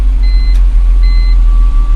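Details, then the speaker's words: BMW E46 323 after fuel pump replacement, following earlier head gasket work; it catches at once and settles into a steady low idle under dash chimes. Starts right up; normal start. "so let's go and see if she's going to start up we go ahead and yep starts right"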